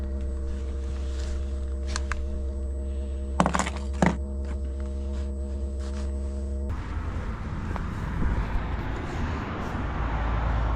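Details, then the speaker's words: Cheap Chinese diesel heater in a Peugeot Boxer van, first start: steady low hum then a sudden rough rushing roar that keeps building from the exhaust, smoke blowing out the side and back underneath; owner suspects he overfuelled it. "That's the exhaust. Luckily, kicking out the smoke out the side and then blowing it straight back underneath. I guess that's because I overfueled it."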